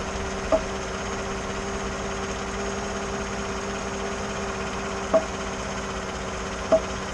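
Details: 2014 GMC after power steering motor replacement and dealer reprogramming: three sharp, uneven pops over a low idle hum when turning under load, stationary or at slow speed, not while moving; steering popping, cause unknown.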